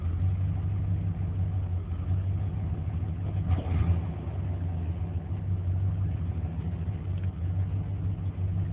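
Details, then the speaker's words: 1994 Chevrolet K1500 4x4, 5.7 V8 throttle body injection, 253,000 miles (rebuilt long block ~26,000), warm day; low lumpy idle with uneven beats and sags, worse cold; fixed by replacing engine coolant temperature sensor by thermostat housing. "idling really rough it is keeping running right now probably because it's pretty warm days today"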